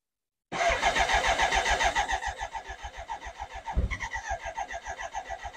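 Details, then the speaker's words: BMW K100 project motorcycle after fuel filter replacement: steady cranking with weak part-firing that never catches and one sharp bang; nearly starts but won't run, owner suspects lots of unburnt fuel getting through. "I'm going to give this one last go so you can hear exactly how it's almost starting because it makes me [Laughter] excited and that's the bang doesn't do that very often which means a lot of unburnt fuel I think is getting"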